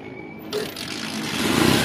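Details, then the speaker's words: Honda TMX125 Alpha that would not start because of weak spark, after fitting a new universal ignition coil: the engine catches and builds into a steady rising buzz, running cleanly; the fault was the ignition coil. "guys umandar na siya So ibig sabihin ang sira ay yung kanyang ignition coil"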